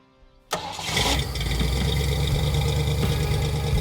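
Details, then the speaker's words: Engine after fixing smoke from oil spilled on exhaust heat wrap and incorrectly set timing; cranks once, catches immediately and settles into smooth, steady, even idle, running like a brand new car. "once we remedied both of those the thing ran like a brand new car"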